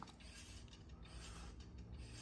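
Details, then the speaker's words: Hand-spun front wheel on a car with all-new front suspension, after fixing a brake clunk by reassembling the two-piece brake rotor hardware and torquing it to 62 in-lb. Smooth whir with faint pad drag and no clicking; the repair worked. "See, that sounds fantastic. I can hear a very slight drag of the pads on the rotor, but I don't hear any clicking noises like we did before."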